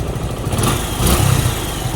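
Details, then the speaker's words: Suzuki Gixxer 150 FI after tune-up with valve clearances adjusted and gasket maker applied; steady low burble with an even beat and no top-end tapping, the earlier ticking gone; normal idle. "Okay, wala nang lagitik. So goods na tayo sa Gixxer na yan."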